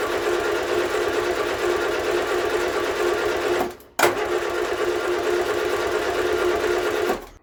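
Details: Vauxhall Viva HC barn find with an ongoing starting issue: fast, even whirring crank for several seconds, twice, with no firing. An ignition coil change is planned; the cause is not confirmed.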